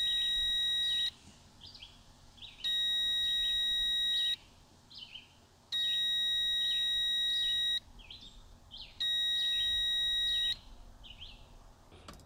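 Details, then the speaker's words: Evinrude 150 XP outboard, abandoned with no spark, kill switch circuit test with key: steady high beep in roughly 1.5-second bursts every three seconds that stops when the key is turned off; kill switch circuit works on both sides. "All right, so I'm gonna turn the key and the beeping's gonna stop. You hear it beeping? Turn the key, off."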